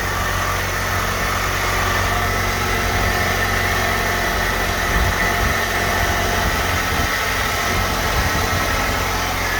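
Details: 2006 Hyundai Elantra engine at idle, just started after replacing the valve cover gasket and painting the cover: smooth, steady idle with an even low hum and no knocks, ticks or misses; running cleanly.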